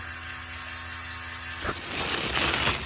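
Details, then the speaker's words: Nissan 370Z Z34 with ignition off; steady low electrical buzz from the ABS pump module, which was also causing battery drain; the faulty ABS pump module was replaced with a used unit. "so if you got a 370Z hear that buzzing and it sounds like this yeah this most likely is your culprit and that's the ABS pump and it goes on like that while the ignition is turned off"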